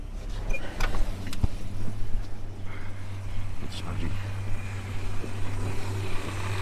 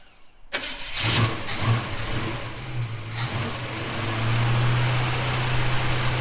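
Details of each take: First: Holden HK just refitted with fresh oil and new filter, timing not yet set, automatic transmission low on fluid; steady low idle from startup with a light, uneven rattle on top, the PCV valve chattering, not the bottom end. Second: Holden HK, first start after filling radiator: starter catches quickly, brief rev, then settles into a steady, even idle; starts and runs cleanly, though a welsh plug leaks on one side.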